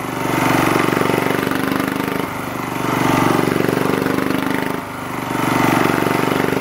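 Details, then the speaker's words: 1980s British Lister Petter AC1 single-cylinder diesel generator, 4 kVA at 3000 rpm, started first turn: fast steady thumping swells and eases every couple of seconds during governor stabilization; running healthy. "okay absolutely nothing wrong with that machine there uh they're fired up pretty much first turn"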